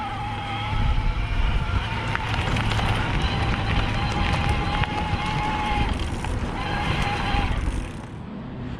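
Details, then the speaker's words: BULLS E-CORE EVO AM Di2 27.5+ e-mountain bike, Shimano STePs E8000 mid-drive motor in Eco assist, pedaled at high cadence; even mid-pitched hum swelling and fading with pedaling over wind and tyre noise, fairly loud but normal. "let's take it down to a lower level of assist as Iko so even an eco it's kind of loud when you're pedaling at a higher rpm"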